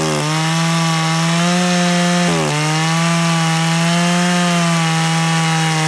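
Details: Echo CS 590 chainsaw held wide open after high-speed screw turned in about 1/8 turn: steady high buzz, one brief dip near two seconds, then clean; high leaned slightly, which caused low-end hesitation, so low opened a little.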